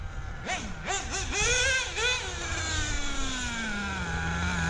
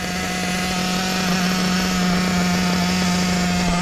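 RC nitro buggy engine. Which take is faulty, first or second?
second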